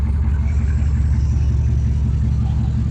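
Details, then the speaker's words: 03 Chevy 3500 V8 truck, long-dormant marketplace truck first start, idling with custom open exhaust (tailpipe off after caps), 14 volts charging, 40 psi oil pressure: deep even burble, no rattling, pinging or knocking, normal smooth idle. "Engine's not making any noises. It's not rattling, it's not pinging, it's not."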